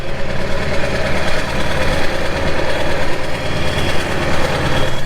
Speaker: yeah big green f250 over there is in high idle mode hadn't been started in a while so gotta start it up